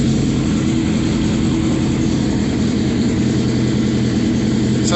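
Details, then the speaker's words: Open-exhaust homemade mower vehicle with new sprockets and a #50 chain: steady, even, slightly throaty low idle with no misses after the idle was lowered; owner says it still needs bigger jets because it sputters partway through the throttle. "it needs bigger jets still that idol's still high so there i like that better"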